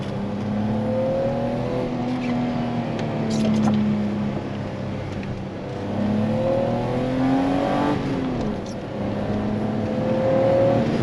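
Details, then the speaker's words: 1991 BMW 325i E30 six-cylinder, five-speed manual, on test drive under acceleration: smooth note rising and falling evenly with throttle, no knocks or misses; runs very well with beautiful throttle response. "as you can hear it runs so well right now with this car oh the throttle response is beautiful it is just an absolute joy to drive"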